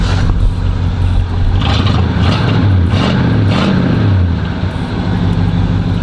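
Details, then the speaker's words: Oldsmobile Cutlass 307 V8 after mechanic repair: a quick free rev swells smoothly and drops back cleanly, with no more cracking or popping as before. The car is now fixed and running healthy. "let me give y'all a quick rev before I run out of memory on my on my camera"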